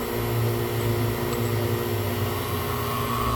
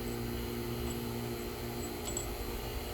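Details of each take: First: Fieldpiece vacuum pump evacuating an AC system, valve opened to admit air; steady drone with low hollow hum and faint rising hiss, pump exhausting steam from moisture drawn in through leak; vacuum pump air leak. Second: Fieldpiece vacuum pump on sealed AC system, valve closed, back down to microns: steady even hum, quieter settled tone, very different from open/leak state; normal.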